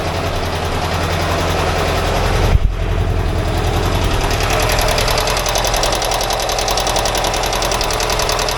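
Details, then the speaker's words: 1982 air-cooled VW Vanagon Westfalia engine at idle during a tune-up: fast, busy valve-train tapping, about three or four ticks a second, with one side noisier than the other. Owner calls it normal VW noise; a valve adjustment later quietened the clatter. "This sounds like a Volkswagen motor. Tickety-tack, tickety-tack. So I don't know if it's supposed to sound any different than that or not. I can hear the valves here going, so that's alright."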